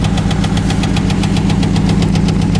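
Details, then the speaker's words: Chevrolet Cavalier engine idling with a fast, even valvetrain-like tick from the front of the engine; it runs fine otherwise, and the owner suspects worn hydraulic lifters and plans to replace them. The muffler also needs fixing. "everybody seems to be running fine it's just the uh the ticking in the front and I'm going to replace those those uh lifters so it'll be you'll be able to hear a pin drop"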